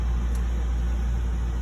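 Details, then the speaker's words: System 2000 oil-fired boiler heating domestic hot water, circulator on: only a low steady even hum, no rattles or roar; burner and fan run quietly and normally. "Uh this boiler in particular is not loud as you can hear at all."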